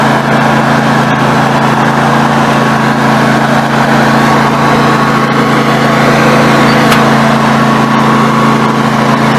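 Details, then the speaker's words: Snapper NXT 25-48 riding mower engine after carburetor replacement, warming up: steady, even idle hum with a faint stumble now and then; occasional misfire, cause not pinned down. "we will turn today countless got a little Miss good every now and then might be a Florida girl"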